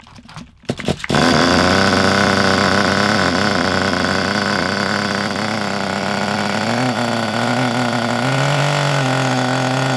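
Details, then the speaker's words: Kyosho Pure Ten Alpha nitro RC car after pull-start repair, fitted with a non-original exhaust: after start-up it settles into a steady, even high-pitched buzz with no misses, healthy running. "Sounds good with that exhaust on, doesn't it? That's not a proper exhaust for it."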